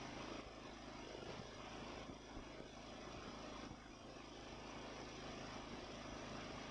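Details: Ariens mower with Nikki carburetor, after carburetor cleaning and rebuild (problems with cheap Amazon rebuild parts): small engine at a faint, fairly even idle with little surging; runs smooth, responds to throttle, miles better than before.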